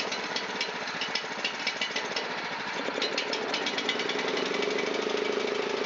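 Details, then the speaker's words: Honda GX270 on a NorthStar water pump, long unused, old fuel, running on choke at full speed: fast, slightly uneven rough ticking with rising tone; dies when choke is off, idle circuits and probably main jet clogged. "It did not work on this machine. It still dies when the choke is turned off. So the idle circuits and probably the main jet in this machine are clogged."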